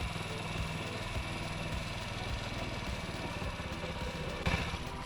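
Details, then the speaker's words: Honda Ruckus scooter with a replaced carburetor and new fuel line, warming up after an idle screw adjustment: low, slightly uneven putter that lugs and wavers as if about to stall; idle too low and still inconsistent, so it's turned up more. "every time I hear it starting to kind of lug a little bit and wanting to stall out I just turn a little bit more throttle a little bit more on the idle see there's there's still a little bit of inconsistency in it idling"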